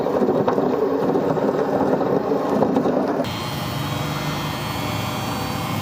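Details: Single-tub washing machine drum turning: rough, uneven rumble with a grinding, snoring edge; worn drum bearings, to be replaced.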